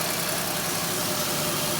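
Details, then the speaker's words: 2008 Chevy Equinox 3.4 V6 after harmonic balancer replacement (failed balancer caused a year of startup chirp and burning rubber smell): smooth steady idle, no chirp or squeal; normal idle. "give her a start look at that he's running again fantastic"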